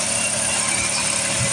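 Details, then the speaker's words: Jeep Liberty KJ after spark plug replacement idles slightly high, not because it was cold, with an audible vacuum sucking hiss; a hose near the intake manifold under the airbox was unplugged, and reconnecting it brought the idle down. "I started it up it had slightly high idle you guys heard that I even said that and it wasn't because it was cold"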